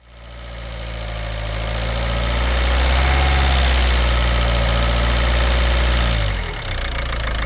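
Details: Ford/PSA TDCi/HDi diesel, just restarted after injector seal replacement for combustion gas blowing past the seals, with air in the fuel system: it picks up and settles into a smooth, even, steady diesel clatter with no stumbling. Normal, healthy diesel idle.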